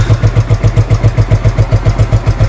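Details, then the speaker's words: Scooter (Mi SP 110c) with a hard-starting problem, after carburettor cleaning: it now starts on one click and idles with an even, steady low putter with no stumbles or misses; normal idle. "Yan po one click na po siya andar na"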